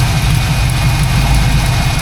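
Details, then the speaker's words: 1979 Pontiac Firebird Formula V8 with a lopey cam, at idle: loud rumble with a faint sharp tick in time with the firing from an exhaust leak, probably mid-engine; electric fan audible. "There is an exhaust leak here. Definitely hear it."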